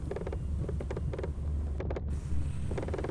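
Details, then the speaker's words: Driving through town: quick clusters of light rattly clicks over low engine rumble on bumps, like machine gun or Morse code; loose camera bracket bumping the mirror, needs adjusting. "sorry about my bracket rattling I can't hear it when I'm driving just when the video comes on and uh so I gotta do a little adjustments on it it's bumping into my mirror and when I hit a bump it rattles it sounds like a machine gun kinda Morris code"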